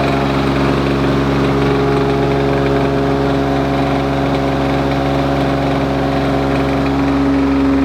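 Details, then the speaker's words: Lawn Boy two-stroke mower: steady, high buzzing note with no hunting. Owner wonders if it is now running a bit too fast; possible overspeed, unconfirmed. "perhaps it's running a bit too fast now I wonder I do wonder if that's running a bit too fast now it might be"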